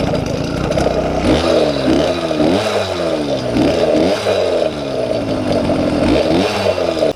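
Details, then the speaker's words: YD100 two-stroke on a 78 jet, needle unchanged, air screw 1.5 turns out, after going down from 82 and 80 jets: quick blips rise sharply and drop cleanly with no bog. Normal, crisp throttle response. "um sounds good very crisp response on the throttle 78 jet um needle is still the same"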